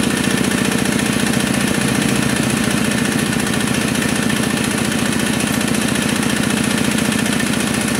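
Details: Kubota RD65DIS single-cylinder diesel after cylinder head service, exhaust fitted, driving a soil/clay grinder for brickmaking: steady thump about 146 a minute under load with slight rough gravelly edge; smoke gone, combustion fine, roughness from worn engine gears.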